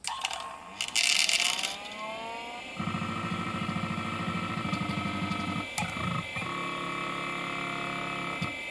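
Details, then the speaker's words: Mid-1980s LaPine Titan 32 MB RLL mobile hard drive, 615 cylinders, four heads, stepper motor: spindle whirs up, then uneven buzzing chatter that differs each spin-up; something seems loose inside, mechanics suspected unsound, not confirmed. "wow sounds like there's something loose there when this thing first starts up and every time i spin it up it it's a little bit different"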